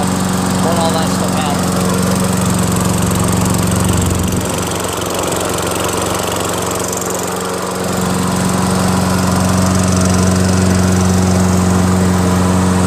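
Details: Toro Recycler 22" self-propelled mower, 6.5 HP Tecumseh engine, after clearing a hydrolock (oil in combustion chamber) and carb clean with new needle, float, gasket, bowl and fresh gas: steady even drone at constant speed, no misses or surging; runs smoothly, healthy.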